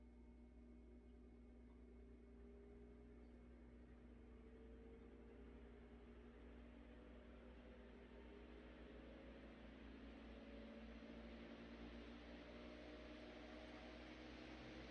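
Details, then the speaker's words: 100-plus-year-old restored Century S-3 Model 15 desk fan on high via dim bulb tester (200 W bulb, likely about 110 volts): soft hum rising slowly in pitch, ramping up slower, then even air whoosh, no rubbing; normal run-up. "Definitely takes a little longer to ramp up. I think it's still climbing."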